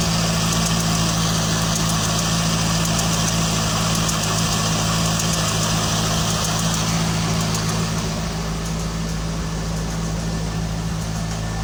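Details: 2001 Corvette V8 with about 45k miles ticking during startups; steady light ticking over a smooth low idle rumble. Owner suspects piston slap or pulleys, source unconfirmed.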